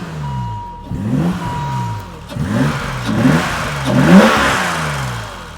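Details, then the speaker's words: 1985 BMW 635CSi E24, first run after 12 years sitting: three clean throttle blips rising and falling smoothly with no knock or misfire, engine healthy despite failed automatic transmission; healthy revving. "but but that engine is healthy as can be"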